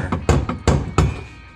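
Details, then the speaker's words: Can-Am X3 with front driveline clunk that persisted after all three axles were changed; shaft rocked by hand gives three or four sharp hollow clunks at the SCR Sandcraft carrier bearing. Bearing appears failed, though owner suspects its mounting surface may be wrong instead. "sand craft carrier bearing took a shot it took there's the noise"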